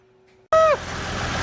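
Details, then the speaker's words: Massey Ferguson 1105 tractor, six-cylinder Perkins diesel, not run in 10 years, after bleeding air from the injector lines and long cranking: silence, short squeal as it catches, then a steady even run; normal start. "kept trying to turn it over turn and turn it and turning and turning and turning and turning and turning and finally she went hasn't been running in 10 years"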